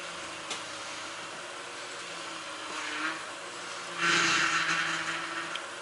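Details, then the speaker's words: Ford BA Falcon after power steering line replacement, reservoir topped up, second bleed run with wheel turned: low idle hum then buzzy whine with rough frothy hiss as lots of air bleeds out of the power steering; air in system. "that you can hear is air being bled there's quite a lot in there obviously"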